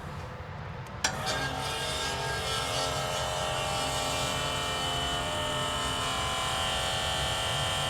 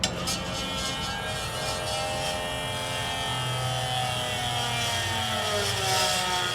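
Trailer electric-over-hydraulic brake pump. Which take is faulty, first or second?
first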